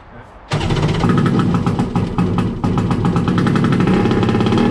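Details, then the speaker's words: First start of a Wave Blaster jet ski after a 701-to-1100 engine swap, with temporary exhaust pipes. It starts abruptly into a harsh, crackling, very loud two-stroke rattle at fast revs. No cooling water flows through the exhaust; owner suspects the water pipes are plumbed wrong. "It was just all exhaust gas. Water going in there will help quieten it too. That's going to be loud when you're up on the plane."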